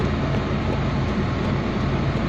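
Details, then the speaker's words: Proton Waja MMC, warm, in neutral with aircond loading, testing a returned idle valve: smooth, even low hum with no misses, knocks or hunting; stepper motor idle valve shows no issue. "Okey dia akan loading semua ni. So dia masih boleh hold dekat 78. Cantiklah."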